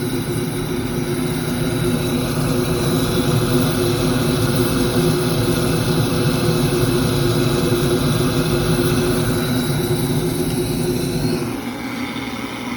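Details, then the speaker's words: Firelake Shenandoah 315 waste-oil heater burner: steady roar with low fan drone, then drops as burner cuts out on flame-sensor lockout after lighting; suspected bad primary, actually defective cad cell assembly causing shutdown. "It shut off, so I'm definitely thinking we're looking at probably a bad primary, as weird as that is. Usually it's the CAD cell, but probably a bad primary."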